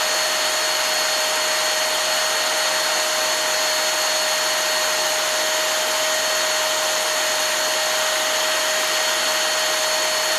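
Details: Hoover Air Steerable vacuum, abused roughly 5-year-old motor run bare after commutator polish, fan still a little dirty: loud, steady high-pitched whine, even pitch, no scraping or rattle; good wind-up and wind-down, earlier noise likely just a dirty commutator.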